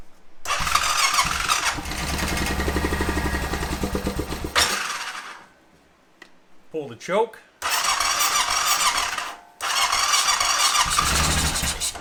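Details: 2005 Honda TRX650 Rincon, 650cc single-cylinder four-stroke, air filter removed, on choke: a slowing starter churn catches into short, ragged runs that die after a few seconds. Hard starting with a weakening battery; fuel starvation suspected.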